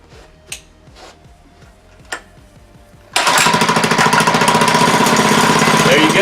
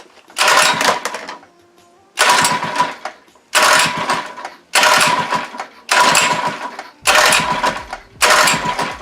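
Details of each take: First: Monster Moto / Mega Moto 80cc mini bike, unstarted for six months, fuel stabilizer used and a small squirt of starting fluid: a few slow cranking pulses, then the single catches and settles into a fast, even popping run without misses. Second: Monster Moto / Mega Moto 80cc mini bike, unstarted for six months, choke on, with fuel stabilizer used; seven pull-start bursts, each dying away with no catch. The engine cranks but won't start.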